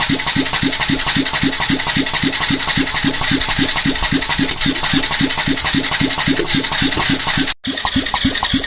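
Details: Yamaha Tricity 125 (SEC1J) scooter, starter spins fast and evenly about four beats a second, never catches; heavy blow-by, piston and cylinder found badly worn, insufficient compression to combust so engine won't start.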